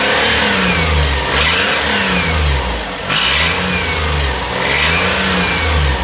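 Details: 2005 Daihatsu Atrai Wagon Custom Turbo R (S320G), over 170,000 km, noise fading once warm; harsh puffing rasp rising with revs on blips from idle: exhaust leak and noise caused by a broken exhaust manifold bolt.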